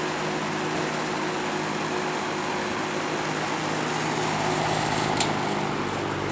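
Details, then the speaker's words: Toastmaster model 5359 vintage metal-blade fan at full speed: loud steady whoosh with fine buzzing rattle from a grille loose due to a missing screw; rattle stops on lower speeds. "we'll start up on high being it's metal blade so it's pretty loud we'll move it a little bit don't want to draft the cats start up on high grillon Z rattle there's a missing screw"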